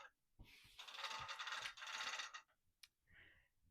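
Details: Handi Quilter longarm frame, standard view, loading backing fabric: light rapid ratchet clicks, about four a second, as the bar is wound with an added hand wheel; the pawl is catching properly, so the direction is correct, normal.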